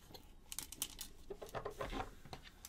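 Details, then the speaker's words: Egg boiler that won't power on and has a broken blue wire and switch. Turned upside down near the microphone, it gives light irregular clicks and rattles from a loose part inside the housing. "something's loose yeah something's loose it's put it by the microphone that's it so there's something loose inside"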